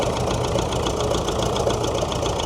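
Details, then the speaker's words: David Brown diesel tractor, first start after sitting 10 years, being driven: quick regular light ticking and popping over a rough idle, keeping pace with engine speed; owner suspects tappets need setting with a feeler gauge, unconfirmed. "I think it needs a feeler gauge running over the tappets. I'll say that's what that popping is."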